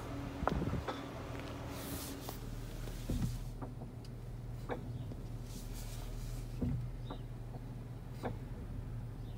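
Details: 2021 Jeep Cherokee: sharp click each time the brakes are applied in reverse, repeating after release and reapplication, over a low engine hum; stops once the car is warmed up.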